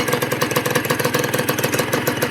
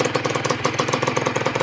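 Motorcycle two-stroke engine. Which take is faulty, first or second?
second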